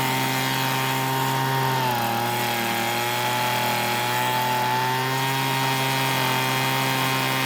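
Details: Weedeater two-stroke leaf blower, long stored and not starting: steady high buzz holding an even pitch with a slight dip and recovery; running smoothly.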